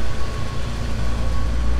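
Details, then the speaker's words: 1990 Mercedes 560SEC AMG that had sat a long time; the owner suspected a sticking injector. Idle now has a low, steady, even rumble with no misfire or knock. The idle is smooth and improved. "sounds a lot better idle is better here so"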